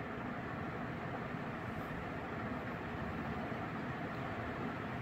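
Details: Second mid-to-late 1980s 56-inch industrial ceiling fan (possibly HRS), run straight on high speed: even, steady airy rumble with no clunks, rattles or 60-cycle hum; motor bearing not loose, fan running smoothly.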